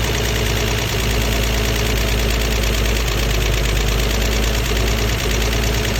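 Deep idle with an uneven lumpy pulse and occasional dips in the beat: the engine is idling rough.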